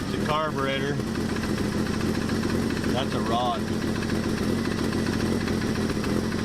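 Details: 1984 Dodge Ram D100 slant six revived, first run with carb bowl filled: steady idle with quick sharp ticking on every firing pulse; owner suspects a rod.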